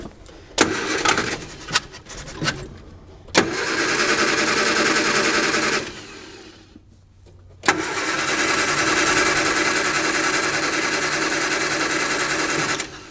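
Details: 1955 Hudson Metropolitan barn find, dormant 28 years, rebuilt distributor with spark, new coil: starter spins engine in long even bursts but never catches; cranking no-start, owner suspects no fuel from pump, distributor position being tried.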